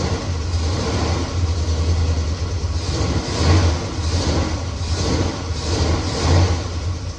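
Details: 1969 Chevelle SS big-block V8, sat 37 years, restarted after loose spark plug terminals were tightened: deep idle that lopes and surges unevenly about once a second, better than before but still rough; possible misfire, owner will heat-gun check header pipes.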